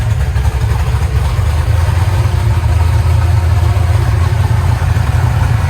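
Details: Eagle Talon engine after Holley EFI conversion and rewiring, cold, once fueled up: deep smooth even idle with a steady low throb and no skipped beats, hitting on all cylinders; normal idle.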